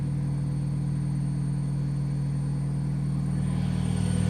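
Heavy steady rumble with a deep hum holding at spin speed and swelling slightly near the end; far too loud for a normal spin.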